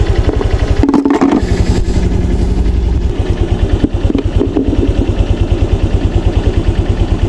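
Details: Honda Click 125 V3 scooter, after raising idle speed: small engine ticking over at steady even beat, earlier knocking gone, no stumble, no stalling or hard starting; idle smooth, exact correct rpm unsure.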